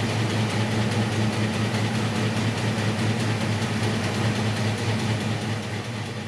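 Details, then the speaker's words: 1966 Mustang with factory V8 and 4-speed, on a newly installed Edelbrock 1406 electric-choke carb, cold morning: a fast idle with a slightly uneven, rough-edged lope. The idle mixture screws, fast idle and choke are still to be adjusted. "okay well um i still have some work to do with the idle mixer screws and the fast idle and all that stuff and then just in the uh the choke here it's still cold in the mornings"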